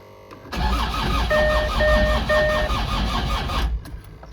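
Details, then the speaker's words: Land Rover Discovery 2 TD5 diesel, battery charged overnight, faults cleared (airflow, noisy crank signal, CAN): sluggish uneven cranking about 2.5 turns a second for 3 seconds, never catches; slow crank no start, crank sensor suspected, not confirmed. "I'm not worried, so I think let's crank it and see whether it starts and what comes back. Okay, it's a slow crank."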